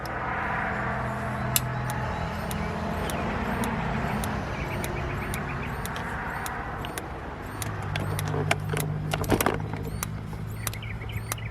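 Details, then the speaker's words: Older RV gas appliance (Dometic refrigerator or Suburban furnace): sharp igniter ticks repeat over a low hum with no burner ignition. Suspected air in the gas line, and the burner assembly may be dirty. "hey we got ticking action as soon as we get the air out system i think a light all right cut it off do it again cameron it's trying to ignite just got to get the air out"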